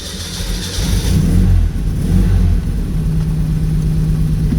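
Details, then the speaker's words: 1972 Honda Z600 coupe, cold after sitting overnight, started with a little choke and an electric fuel pump: brief cranking, then it fires straight up, blips, and settles to a smooth, steady idle. Normal cold start. "right up smooth as a whip"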